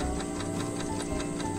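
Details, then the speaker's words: Refrigerator that overfreezes and does not cool below, ticking at night: steady clock-like tick about five a second over a low hum from a sticking defrost timer, so defrost never engages. "entonces quiere decir que ese reloj no sirve se está quedando pegado como quiere avanzar se desangra no por dentro probablemente eso pasó y hasta ahí quedó entonces nunca entra el sistema de deshielo no entra a descongelar"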